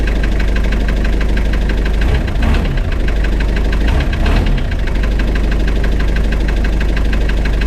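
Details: Spryte snowcat "Rusty" turbodiesel after new OEM Zexel fuel injectors fitted and primed: steady diesel clatter at settled idle, even level and rhythm, no hunting or misfire; idles noticeably smoother, rock solid after acceleration.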